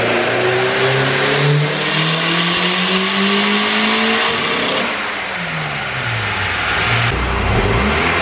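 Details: Turbo B18C GSR EK coupe (~50-trim eBay turbo, log manifold, 1000cc injectors) on aftermarket cams, fresh copper plugs. Under load it stutters badly around the VTEC changeover; fuel and ignition changes didn't cure it, so VTEC or oil pressure is suspected.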